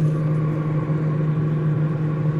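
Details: Samsung 253-litre 3-star convertible refrigerator, set to fridge mode, about four hours in: steady low hum holding one pitch with no clicks, rattles or buzzing; compressor running normally.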